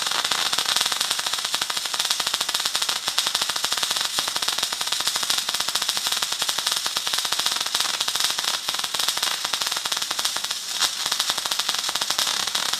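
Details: MIG arc at moderate settings, about 150 amps and 15 volts after being dropped from a too-fast, too-cold setting; fast, steady sharp crackle like frying bacon with constant irregular pops.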